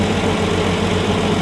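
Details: 1965 Plymouth Valiant 170 slant-6, which stalled after 3–5 minutes from carb boiling, after a junkyard exhaust manifold with heat riser and a new intake manifold: a steady, smooth idle with no stumble.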